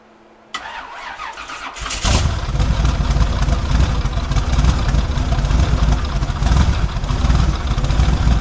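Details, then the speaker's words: Quad-turbo car just fitted with a 115–120 A GM 3800 alternator on an adjustable spring tensioner, started to check charging and belt squeal: the starter catches after a short crank, then a steady, even run with no belt squeal; normal start and idle. "So let's start it up. We'll see if it's charging. We'll see how much it wiggles around and if the belt squeals."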